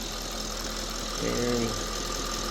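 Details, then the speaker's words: Audi S5 idling after serpentine belt and squeaky pulley replacement, coolant topped off and bleeding: short even idle, steady low hum, no squeal from belt or pulleys; old pulley was shot. "I don't hear that loud high pitch squeaking sound that was coming from our bed pulley. So, this thing was shot."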